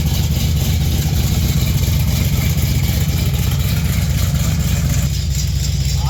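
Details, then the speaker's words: 1959 GMC pickup V8 after a new 3in exhaust with single-chamber mufflers replaced open headers: deep, choppy, loud but steady rumble with a slight lope, not harsh or raspy. A healthy, well-muffled V8. "Rubble I like it sounds good it's not as ear piercing being open there but still has plenty plenty of"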